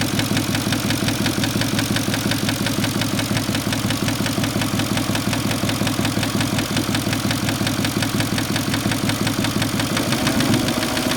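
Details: Porsche Cayenne engine at steady idle with a regular ticking knock, roughly three per second, over the engine note; abnormal idle noise, cause unclear.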